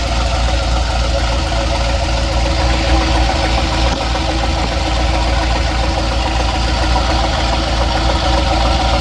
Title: What's that knocking noise?